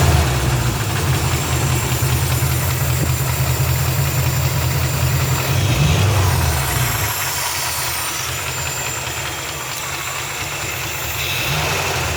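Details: Rebuilt 350 5.7 V8 at idle: uneven knocking pulses, roughly two to three a second, through a deep lumpy idle. The source is unknown.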